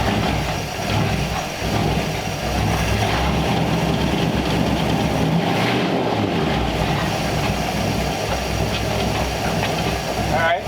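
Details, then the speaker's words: 1934 Ford Tudor, cold start just after fitting a freshly rebuilt Rochester carb: idles steadily at a low, slightly lumpy beat without stalling; already sounds better, idle air mixture still to be set once warm; old plug wires suspected. "we gotta let it warm up before we set the idle air mixture but it already sounds like it's a little better"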